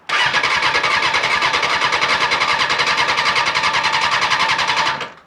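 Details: Honda CBR600 motorcycle, 21,000 miles, on a jump pack before fuel is added: fast, even starter whirring spins the engine for about five seconds with no catch or grind; healthy cranking.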